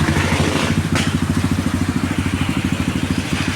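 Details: Kawasaki Barako 175 after a tune-up and retuned old carburetor for hard starting (stuck valve, worn camshaft): steady, even single-cylinder thump at about three per second with no knocking or tapping; a quiet, healthy normal idle.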